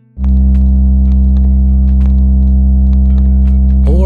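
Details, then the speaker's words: Fluance RT85T turntable: a loud, steady low booming drone through the speakers, acoustic feedback rather than a ground-loop buzz. "only happens at a higher volume, you may be hearing feedback."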